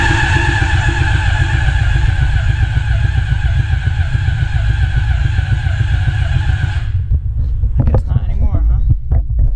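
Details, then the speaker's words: CBR600RR engine in off-road go-kart rebuild, starting fluid sprayed in cylinders: starter drags engine slowly, three or four even beats a second for seven seconds, never fires; owner suspects battery lacks cold cranking amps. "I honestly don't think that this battery has the cold cranking amps to start this thing"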